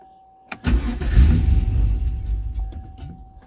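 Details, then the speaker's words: 2005 Cadillac CTS-V (gen 1, big cam) found abandoned: in neutral it fires right up and idles a little low, runs then shuts off once; after priming the fuel pump it starts again and settles into a lumpy, loping idle that sounds healthy. Normal start and idle. "wow fires right up she's idling a little bit low huh oh that was weird shut it off ran better and then shut off let's prime the fuel pump again and see what happens sounds healthy with that cam i like that"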